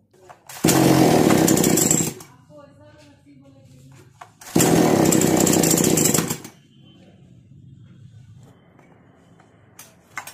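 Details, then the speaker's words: Chainsaw (model read as 652) after new spark plug and carburettor top screw adjustment: screams up under two seconds then cuts dead when throttle pressed, twice; stalls on throttle, carburettor fault, piston rings and cylinder to be checked next. "जैसा कि आपने देखा accelerator को जब मैं press कर रहा हूं तो मशीन बंद हो जाता है"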